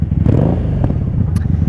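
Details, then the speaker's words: 1997 Honda Magna VF750C V4 rebuilt after a wreck, ridden on the highway at night after sitting a couple of weeks; runs rough and uneven, stumbling instead of pulling cleanly, not fully engaged; hesitation under acceleration, gummed carburetors suspected. "When you're riding, you can hear that it is not, I'd like to say breathing, but it's not fully engaged. You can hear the difference from a healthy Magna to the non-healthy Magna."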